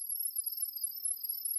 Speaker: you will now hear your smart device make a loud chirping noise that sounds like this